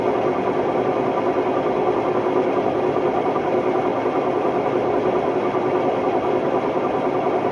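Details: Hotpoint Ultima WMD960 front-loading washing machine on test spin: extremely loud, steady rumbling roar from bad drum bearings.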